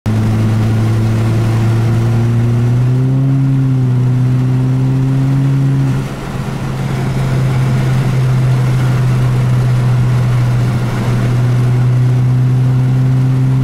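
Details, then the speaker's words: Mitsubishi Colt CZT tuned to about 220 hp, still on the stock clutch (later replaced by a custom 6-paddle clutch): the engine note climbs in steps and hangs high while road speed doesn't follow; clutch slipping under load. "hey youtube so my clients are slipping let's push it forward as you can hear so we're gonna replace it with something a bit more reliable and a bit more up to the job"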